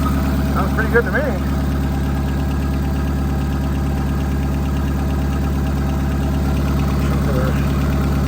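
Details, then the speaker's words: 2001 Honda Civic LX donor with blown head gasket, engine overheated, oil and coolant smelling bad; steady idle hum broken by an irregular stumble; misfire at idle, owner suspects bad ignition coils, unconfirmed. "got a Miss okay I'm not doubting that it's got bad coils they're all horrible"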